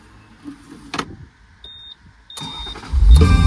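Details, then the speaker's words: 1992 Ferrari Mondial t, 3.4 L V8 (348 engine), hot restart after heat soak following a dual-mass flywheel regrease for its known hot-start shake and sputter; now catches quickly and settles to a firm, steady idle; normal hot restart. "That's awesome. There's no way it would have restarted like that."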